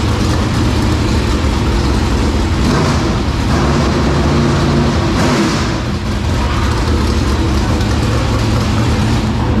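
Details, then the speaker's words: 465 cubic inch race V8, first start in three years: deep loud bark climbs sharply on the throttle and drops back cleanly, revs freely and settles; healthy engine revving. "you can tell how you would do it when you wrap on it and it and it's settled down time it just sounds like whoa like it big it took all the air out of the room"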